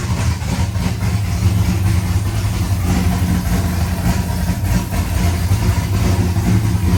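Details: First start of a rebuilt C5 V8 with a Michigan Motorsports drift cam and ported 243 heads, showing 50 psi oil pressure. Loud, deep, lumpy, steady choppy idle from the big cam. Normal cammed idle.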